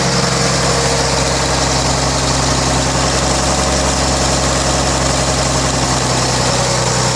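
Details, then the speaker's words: Rebuilt 1933 Chevrolet straight-six (5.6:1 compression, 74 hp @ 3200 rpm), first run in over 60 years: loud, steady, even idle with no stumbles or misfires. Normal idle. "Should be able to drop that right back. Listen to that. That is as smooth as, man."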